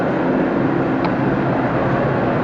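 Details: Walk-in cooler at about 50°F, down from 80°F, both fans running, with a steady even hum and smooth fan whoosh and no refrigerant hiss; evaporator full, running normally.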